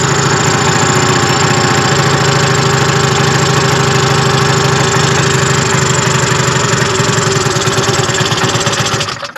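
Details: 1974 Arctic Cat Lynx 340 fan-cooled two-stroke snowmobile, stored outside 5 years, old fuel, cold snowy day: steady, fairly quick putter holding an unsteady idle, then fading and dying.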